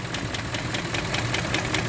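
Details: Range Rover Vogue with BMW M62B44TU V8, knock present since purchase and about 15,000 km driven since; others blame VANOS but owner says VANOS is welded: sharp, even tapping about five per second at idle; engine knock, cause unknown.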